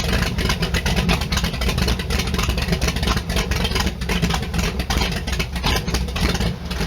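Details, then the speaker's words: Allmand SuperNova race boat engine, started easily, timing not yet set: strong even running with throttle blips rising and falling cleanly, no misfires or knocks; healthy. "She's got some cobwebs to get out, and then on top of that, I gotta get the timing set, but I'm just having too much joy right now because this thing kicked over so easy. It was unreal."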